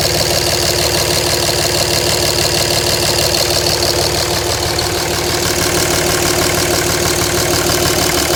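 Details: 2007 Dodge Ram 5.9 Cummins, rough idle for about a month: uneven clattery loping beat about three times a second; intermittent fuel rail pressure sensor, MAP sensor and overboost codes, owner asks about blow-by and exhaust sound; cause unclear.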